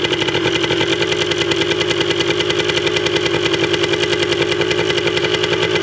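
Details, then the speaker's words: 1980 Yamaha DT 125 Enduro two-stroke, first start, battery uncharged, very low compression noted, carb not yet cleaned: crisp steady popping about three to four beats a second; even idle warming up after first start. "But wow. She runs. Didn't sound too bad either. Pretty stoked about that."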